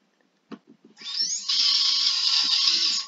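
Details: Micro quadcopter brushless motor, 1407 size, props off, spun via Betaflight motors tab: whines up to high steady hiss-like scream with gritty, uneven edge from worn bearings needing replacement.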